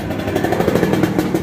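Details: Honda Supra 125 motorcycle running rough with "dak dak" noise: fast clattering knock over the small engine's note, loose cam chain slapping; on teardown the cam chain tensioner was found broken, leaving only bare metal.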